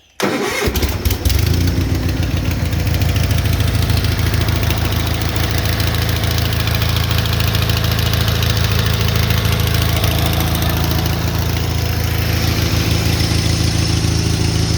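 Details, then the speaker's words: 1978 Gravely 8163-T tractor with Onan B43M opposed twin: steady, loud idle with a sharp rapid tick; exhaust leak suspected at the manifold-to-block gasket, which needs replacing. "You'll probably hear when I fire this up, it has a loud tick like an exhaust leak that's real close to the engine."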